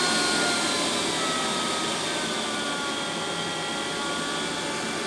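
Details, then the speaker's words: Pro'sKit SS-331 desoldering station vacuum pump running: loud steady airy whine at constant pitch, no rattles or surging; normal, just noisy. "i don't know how loud that is that's kind of loud i can settle them a little bit lower though for my feelings"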